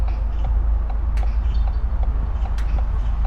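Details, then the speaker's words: Learner car's right turn signal left clicking after turning right at traffic lights: crisp, even ticks about two per second over low road rumble. Finding: indicator left on after the turn. "they're not here that clicking noise remember it's been put there so you can actually know that the signal is on"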